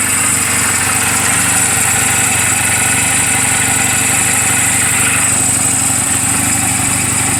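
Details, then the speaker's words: Reference sound of a healthy 2007 Honda Rebel 250 and its valves, idling in neutral just after an oil change and valve clearance adjustment; steady, even idle with light mechanical chatter on top, no misses or knocks. Normal idle. "so that's what I'm gonna give you what the motorcycle should sound like on what the valve should sound like to make sure you don't hear any it sounds like this this motorcycle is running perfectly"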